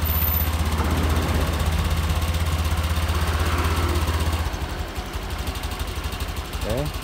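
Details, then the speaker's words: Honda Scoopy, 2023 or 2024, after fixing a fuel pump that would not hum: low, steady, even idle with no stumbles; fuel pressure holding at 40; normal idle. "Enak kan? Suaranya pun enak."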